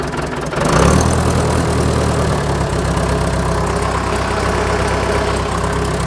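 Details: John Deere 450B dozer diesel with Roosa Master pump, first start after engine removal, oil-leak repair and new clutch, left at idle with exhaust cap off: it cranks, catches and settles into a steady, even idle with no misses or knocks. Normal start and idle.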